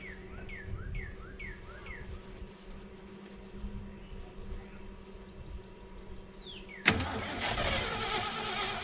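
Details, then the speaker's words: Ford F-350 with low-mileage engine, sitting 5-6 years, on a weak substitute battery, fuel fed by hand: cranks and churns without catching after briefly firing; cranking not fast enough and owner believes it flooded. "It just wasn't fast enough. Still not fast enough."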